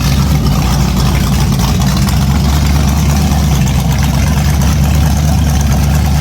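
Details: An 010 350 Chev small-block V8, carbureted, running on an engine stand after arrival for an HQ sedan rebuild. Deep, even rumble at a steady idle with no knocks or misses; normal idle.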